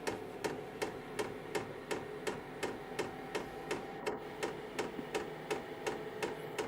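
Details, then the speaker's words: KROAK TB2 8 kW diesel parking heater running on diesel or heating oil, fan ramping up: steady, even light ticking about three per second over a soft fan hum; dosing pump metering fuel normally. "You can hear the clicking, but you don't feel it."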